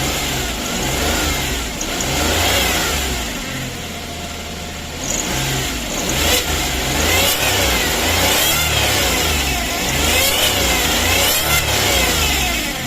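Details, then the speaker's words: Suzuki DA64 automatic, noise traced underneath: revving up and down brings a rough grinding drone following revs, like a failed bearing; transmission suspected, starter checked okay. "Ayan, lumabas na 'yung ingay niya no. Parang may sumasabit sa ilalim or sirang bearing na tunog. Ganito naman ang tunog niya kapag naka-revolution Oh, ang ibig."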